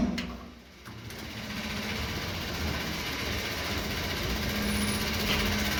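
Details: Voltas window AC running: harsh, fast repetitive knocking about four per second over the steady hum; the fan blade strikes the outer body, which has rusted and swollen over time; fixed by knocking the swollen section back down.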